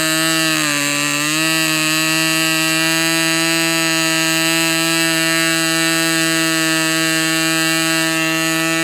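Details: Fox Twin glow engine at full throttle, glow igniter left on throughout: loud steady high-revving scream with a brief early dip then clean even pitch.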